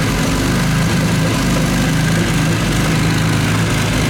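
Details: Classic Mini 1.3 track car after roller rocker replacement and plug-lead firing order correction: deep, even idle with a smooth steady beat, no ticking or misses; normal idle.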